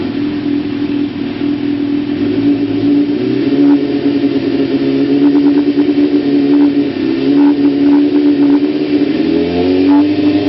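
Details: 1992 Kawasaki ZZR-600 (ZX600D), older bike, stock exhaust believed unmodified: starts and holds a steady, even note, then revs up and settles back cleanly with no knocks or misses. Healthy idle and revving.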